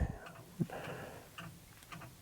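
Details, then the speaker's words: Ford 7.3L IDI diesel one-ton dually, parked three years, at about 50°F: sharp irregular clicks from the glow plug relay cycling during preheat; the glow plugs are mismatched and warm unevenly. "I can hear that clicking. The glow plugs are warming up. They're mismatched, like I said, so they're not warming up appropriately."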